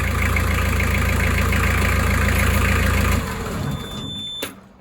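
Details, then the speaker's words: Narrowboat diesel brought in with a noisy drive plate, before the plate is changed. Ticks over at a steady idle with a rattly edge under the beat before shutting down; noisy drive plate. "Right, so while Jane is cracking on with Paws and Claws, Alfie has come in with a noisy drive plate."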